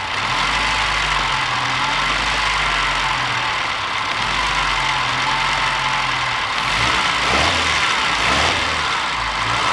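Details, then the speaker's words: Moke engine on bench test, warmed up to temperature, after resetting points that were gapped too wide, no water in oil: steady even run without misses; ignition fault fixed, owner suspects a remaining carburettor fuel issue. "Well, it's no longer electrical, it's fuel now, so job is done."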